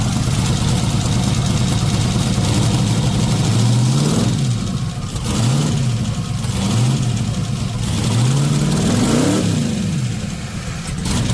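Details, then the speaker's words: Freshly built 5.3 V8 in a twin-turbo C10 truck, idling and blipping with a light ticking from the top end and low oil pressure. Valvetrain noise, cause unknown; owner suspects the oil filter may be in bypass. "Now the one thing is we do have top end noise, as you just maybe heard, and it is down on oil pressure, so I'm not sure what the problem is."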